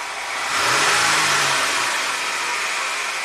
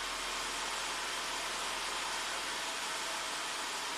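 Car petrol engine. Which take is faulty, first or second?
first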